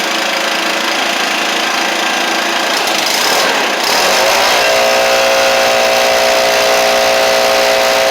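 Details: Stihl BR700 backpack blower after carburetor swap, started with some choke adjustment: rough fast note at first, then settles into a steady even drone with constant pitch; warming up and running cleanly.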